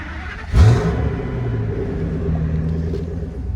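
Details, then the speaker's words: 2000 Ford F350 dually V10 starting after new tailpipe fitted and bent: deep even rumble swells with a throttle blip, then settles smooth with no puffing or rasp; exhaust sounds tight and better, normal exhaust note. "Sounds good. Sounds better."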